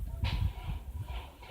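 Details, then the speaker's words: 2006 Mercedes ML280 CDI diesel cranking on a temporary battery that proves too weak: heavy lazy thumps only a few per second as it turns over very slowly and won't start. "The vehicle cranked, I think you heard it, but this battery that we thought was good is also too low to start this engine. It does crank, but very slowly."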